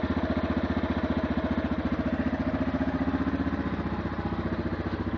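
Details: 2008 Yamaha TTR230 single-cylinder at idle after about 5 minutes of warm-up: steady thump with a light metallic ticking rattle on each beat; valves in spec and cam chain tensioner fine; cause unknown.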